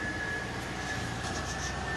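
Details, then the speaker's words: Holden VY Series II Crewman Cross 8 after fuel pump replacement, checked for fuel-line pressure: the pump is heard coming on, then the engine starts easily and settles into a steady, even idle with no misses or knocks; normal idle. "yep i could hear all that coming on starts off beautifully"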